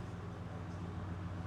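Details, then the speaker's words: 2010 Ford F-150 with a 4.6L V8, formerly a no-start, after a used PCM was installed and programmed: an even, low idle rumble with a steady rhythm and no misses, knocks or whine; it now runs normally. "Looks great. So we got us a runner, everything's cool."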